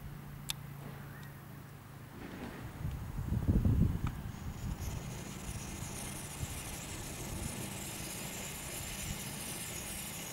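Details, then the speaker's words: Dual-fuel camping stove burning kerosene during preheat, outdoors in a breeze: soft steady hiss of vaporised fuel from the jet under wind rumble as the flame starts to clean itself up; normal burner hiss while warming up. "hissing you can hear is the X&Y purloined fuel coming out of the the jet and as you can see the flame is starting to clean clean itself up a bit"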